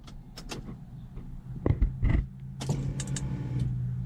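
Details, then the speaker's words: Nissan 300ZX barn find after new fuel pump and sending unit installed, key on; a few clicks then a steady low hum builds and holds a couple of seconds: fuel pump priming normally. "so we should hear it priming and should be good to go"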